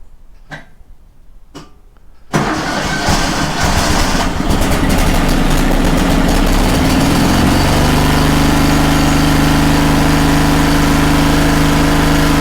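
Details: Kohler 18 twin engine on a Walker mower, new NGK plug, started on choke: fires after tries, revs unevenly, settles into lopsided low idle running on one cylinder; carb problem considered.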